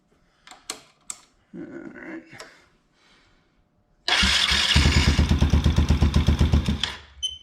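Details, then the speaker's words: Can-Am DS90X after replacing the bad starter and the starter idler gear, which had broken teeth: the starter spins the engine in quick, even pulses with no clanking, then it catches cleanly. The starter drive now sounds healthy. "sounds much better [Music] perfect no clankity clank anymore"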